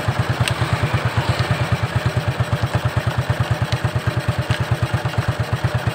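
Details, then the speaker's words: Shogun 125 motorcycle at low idle after electric start: steady beat with sharp metallic ticks dropping in irregularly, sometimes present, sometimes not, unlike a consistent connecting-rod knock; cause found to be a loose nut rattling behind the clutch cover. "Jika itu adalah bunyi ketukan batang piston, seharusnya bunyinya konsisten, kan? Oke. Namun, suaranya tidak teratur. Terkadang ada, terkadang tidak."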